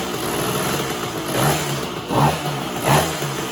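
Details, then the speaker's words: 1966 Bridgestone 175 two-stroke twin, sat 30+ years, first start on minimal gas and oil: uneven running with throttle blips about every second; one side smokes heavily, later traced to a plugged exhaust and a leaking transmission seal; rough running. "you know I had it running yesterday and it ran okay but obviously the red cylinder is smoking way more than it should"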